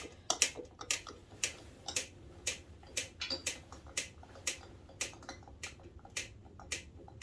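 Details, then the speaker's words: Suzuki LT125 turned slowly by hand: good compression, then a sharp dry click about twice a second right after compression, not through every phase; owner suspects valve train, not rod knock or piston pin. "See, excellent compression. Still compressing, coming down. And then click. But it isn't like a rod knock click or piston pin. It sounds more like valve train."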